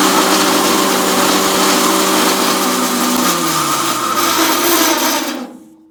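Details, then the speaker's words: Logosol PH260 planer/moulder being rebuilt: harsh, gritty steady whine while the cutter head runs, fading on spin-down; bearings worn out from too heavy a load on light bearings, in the right-side head; top head bearings also shot. "that's bearings that's what that is too heavier load on too much of a toy bearing the bearings are shot in the lead head which is the right side"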